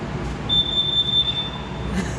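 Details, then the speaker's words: Abandoned Jeep first run in 24 years: a shrill, steady whine over low engine rumble as the starter grinds, with a loud bang on shutoff; owner suspects the ignition switch, and the old starter is broken. "yeah when it was going fine and you hear the starter grinding and then when you shut it off that bangs really loud"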